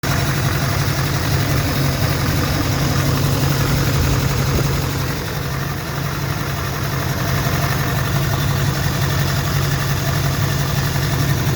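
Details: 2004 GMC with the LLY diesel, misfiring, owner believes it needs injectors: rough diesel idle with an uneven, stumbling beat and low shake, then some revving; one cylinder sounds like it is misfiring, cause not confirmed.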